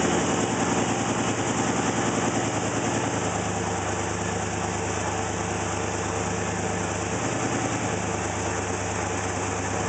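Uneven idle, firing pulses a little over three per second that stumble and wander; engine idles rough, cause not pinned down. Cause suspected, not confirmed.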